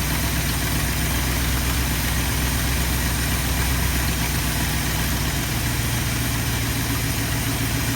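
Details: 1972 Ford F250 with 360 V8 and four-barrel carburetor, after a Pertronix Flame Thrower II distributor, coil, cables and plugs install and idle mixture screw adjustment: steady, even idle burble with no misses, ticks or stumbles; normal, healthy idle.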